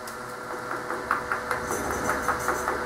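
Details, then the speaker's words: Bench grinder mounted on a DIY pedestal of heavy-equipment brake drum and 1/2" steel plate, column filled with packed play sand: even quiet hum with only faint occasional tapping, sand removed nearly all vibration and noise; normal running. "that quieted it down completely plus add a little bit more weight to it"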